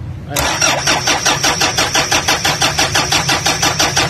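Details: Toyota Fortuner diesel cranking steadily at about three beats a second without firing; air bubbles found in fuel lines, no fuel supply drawn from the tank, vacuum/airlock in the fuel system.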